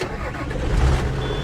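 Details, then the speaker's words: John Deere 7420, old Stanadyne DE10 injection pump with stored ECU 1076 code, before replacement: diesel catches with a brief uneven chug, then picks up and smooths into steady run; rough start. "Oh. Gave one little chug and then it smartened up."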